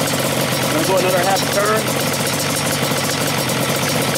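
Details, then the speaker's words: Yamaha Banshee two-stroke twin, stock carbs, air screws being opened from fully closed. Uneven, burbling idle that steadies and speeds up slightly as it clears: rich idle mixture cleaning up. "all the way close the both cruise very very rich"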